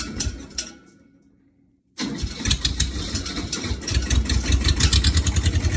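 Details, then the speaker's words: Ford diesel tractor after cold days outside, warmed overnight by a wood stove, glow plug used: brief crank dies, then rough, uneven chugging crank with rising roar as it struggles to catch; owner suspects gelled diesel. "we have been having some trouble getting this tractor started I think the diesel might have gelled up in there"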